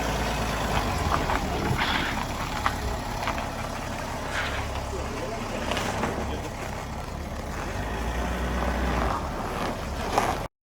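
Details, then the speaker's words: BMW after squeaky ball joints were removed, filled with polymer and fitted with grease nipples, reassembled: low vehicle rumble with soft knocks as the body moves, front suspension squeak now gone. "собираем обратно будем проверять скоро и так как видим скрип устранён"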